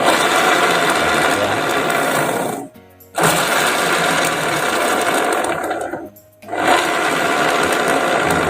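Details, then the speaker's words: Honda Beat scooter on stand, rear wheel spinning: loud rough steady growl from the final drive (gardan), dropping away when throttle released. "Nanti kalau udah lebar di Steam jadi seperti ini lho suaranya iyoyo ngorok ya"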